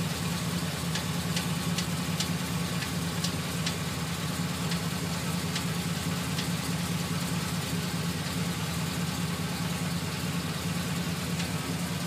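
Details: GMC Sierra 2500HD 6.0 V8 idling: steady low hum with light, sharp ticks on top. Ticking starts a few minutes after starting, worsens when stopping after a long drive, and is absent while driving. Cause unknown.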